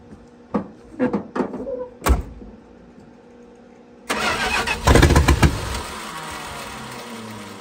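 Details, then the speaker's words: 1968 Plymouth Fury, 318 V8 with one-barrel carburetor, barn-stored for decades, last tune-up likely 1970s: several cranking bursts, then it catches and runs unevenly, missing on a cylinder or two; two rusty plugs, one stretched plug wire, coil suspected. "it's missing a little bit I can something over I was missing really good yeah but these plugs are there's two really rusty ones"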